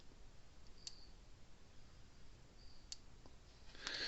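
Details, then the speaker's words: Gallagher Power Plus S50 solar electric fence charger after repair, putting out almost 10,000 volts: sharp, soft single ticks roughly every two seconds, even, with no buzz and quieter than before; charger pulsing normally. "See how much quieter it is. We're getting almost 10,000 volts out of this thing."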